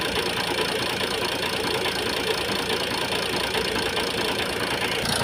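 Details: Ford Focus 1.8 TDCi diesel idling roughly with an uneven loose knock about twice a second over harsh clatter and vibration; injector misfire suspected, not confirmed.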